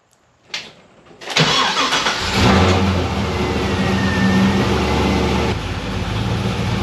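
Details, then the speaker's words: Pontiac GTO with a new DIY intake and the MAF sensor deleted from the tune: after a short crank the engine catches unevenly, stumbling and sputtering before settling. Owner suspected air or fuel starvation; opening the throttle body more smoothed it, suggesting air starvation, not fuel. "yeah I don't know if it's getting starved of air fuel but we're going to find out"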